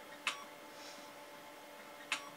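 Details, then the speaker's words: 1980s hard drive in an Amstrad PC 286D under DOS, reading the drive: two sharp, isolated ticks about two seconds apart over a faint hum as the heads fail to seek. This is a classic seek error ("Seek error reading drive C"). "that is a classic sign of a seek error no complain in the moment there we go seek error Reading Drive C abort retry ignore fail"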